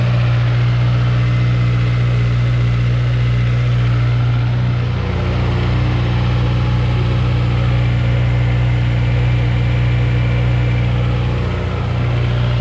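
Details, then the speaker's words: 2005 JDM K24a engine swapped into 8th-gen Civic Si with TSX intake cam, RBC VTC gear and intake manifold, running while bleeding coolant: deep steady idle hum, no ticks or misses; normal, smooth quiet idle. "Runs smoothly. Pretty quiet."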